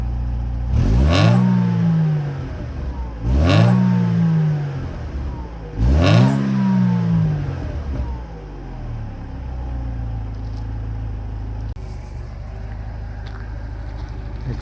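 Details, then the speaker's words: Mercedes SLK 230 after welding exhaust leaks near the rear muffler: three quick revs falling back to calm idle, no puffing, hissing or rasp; exhaust now sealed. "okay we have no leaking sound anymore I think this is good now"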